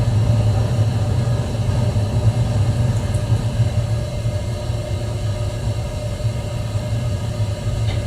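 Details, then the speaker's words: 1974 AO Smith copper natural-gas boiler, 160,000 BTU (200,000 max), first startup of season on a cold day after last year's cleaning and new thermocouple, inlet regulator and relief valve: steady even low burner rumble with faint hum, no knocking; normal running. "all right so it is now running sounds good"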